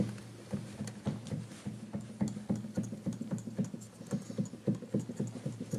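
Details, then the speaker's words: Used Kawai VPC1 keyboard bought as "Excellent Condition", untested before power-on: dull wooden tapping, three or four a second, as keys are pressed; A sticks and sounds crunchy, C crunchy, E taps, another key taps; action clacks more than it should. "This one's kind of crunchy. What it says C, crunchy, and then it's fine here. E's, you can hear E tapping. Another tap key."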